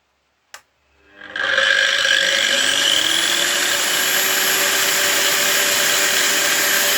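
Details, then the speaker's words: Macallister 230 mm 2000 W angle grinder, new: slow soft-start spin-up to steady high whine with gritty gear buzz on top; gearbox sounds noisy, owner suspects the gear teeth may lack grease, unconfirmed. "Troszeczkę, troszkę nie podoba mi się hałas. Słychać wyraźnie jakby tą przekładnię."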